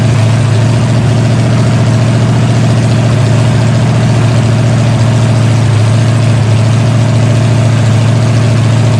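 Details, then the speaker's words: Freshly rebuilt 454 Chevy big block V8 with new pistons, from a 1973 Chevelle SS 4-speed, on a break-in stand after break-in: deep, steady, even rumble at constant speed with no knocks or misses; normal healthy running, fine tuning still pending. "Guys, the motor's broke in. There's still some fine tuning to do, but all in all, it's a pretty good start."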